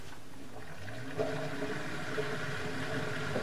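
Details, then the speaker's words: Bosch XL dishwasher after fixing an E25 drain error caused by a piece of plastic blocking the drain: a steady watery rush with a low pump hum and no strain. Draining normally. "Turn it off. Turn it on. Flashing and then start. That sounds better. So, all of that was caused by one piece of plastic."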